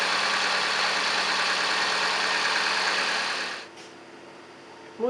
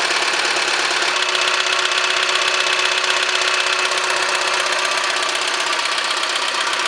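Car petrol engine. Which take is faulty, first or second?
second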